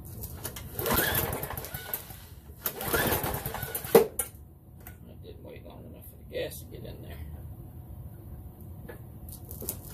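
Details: Ethanol-gummed lawnmower carburettor after cleaning and refitting: two rough cranking bursts that die right away and never settle into a run. No-start from fuel starvation, blocked carburettor jet.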